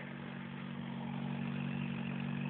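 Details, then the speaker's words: 1991 Vauxhall Astra Mk2 1.4L, automatic choke, coming up on the choke after cold start, heard at tailpipe: steady even idle with smooth low drone, no puffing or ticking; exhaust brand new from manifold back, no blow. "As you can hear, the exhaust ain't blowing."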